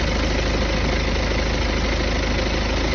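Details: Warm engine idling after being driven a while: a deep, slightly uneven rumbling drone with a buzzy vibration; cause not clear.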